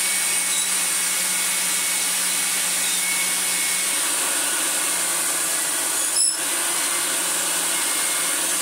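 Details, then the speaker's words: Restored Hoover Senior 652a upright vacuum, tested to tell whether the motor or the brush roll makes the noise: steady high whirring with a faint, even rubbing hum. The noise comes from the brush roll, but the cause is not pinned down. "so it is something in our brushroll though who knows either way that'll do"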